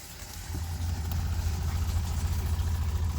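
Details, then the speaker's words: 2017 20ft Airstream Flying Cloud water pump after fitting IRVWPC2 pressure controller (about 40 PSI) and padding the hose against the wall: low, steady hum with soft even pulse, nothing rattling; quiet, normal pump operation. "Yeah, it's pretty quiet. Not really doing a lot of noise. It's perfect."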